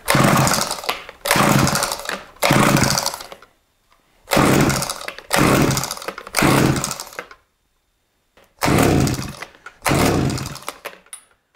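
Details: Eskimo Stingray 33cc gas ice auger after a fuel line replacement, on choke: the two-stroke catches in short one-second bursts that cut out between pulls and never settles. Hard starting.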